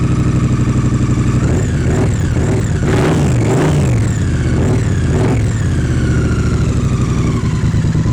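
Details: 2016-on Triumph 900/1200cc water-cooled single-OHC twin after aftermarket camshaft fitting: steady idle with quick clean throttle blips rising and falling smoothly, no ticking or leaks; normal running.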